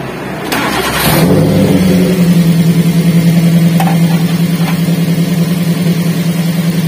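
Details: Daihatsu Gran Max after replacing the dead ignition coil: engine catches, then settles into an even, steady idle with regular firing and no misfire stumble; runs normally.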